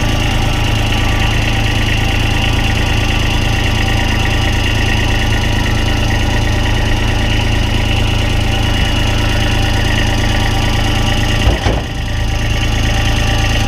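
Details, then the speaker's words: GMC TopKick 6500 bucket truck started after a component was tightened, to check for vibration: loud, heavy idle with an uneven low throb at about three pulses a second. Heavy vibration at idle, cause unclear. "now let's start it up now and see how much it's see if it's vibrating any nail shaking real bad"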